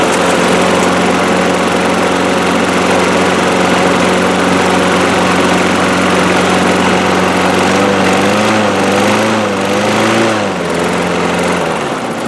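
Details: 2003 Craftsman 6.25 mower single-cylinder after draining much water from the fuel system/carburetor: steady even fast governed speed, brief surge near end, otherwise healthy; running good, bowl not leaking, needs oil change.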